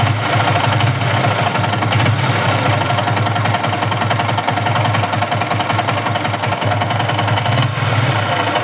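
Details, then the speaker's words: Yamaha R15 V3 motorcycle engine at idle: rough, loosely rhythmic knocking at about two or three beats a second; an abnormal engine noise that some mechanics blamed on the rings, piston and connecting rod, needing a full engine job. "তো বন্ধুরা, আপনারা বাইকের সাউন্ডটি শুনলেন, দেখলেন কি বাজে একটা sound."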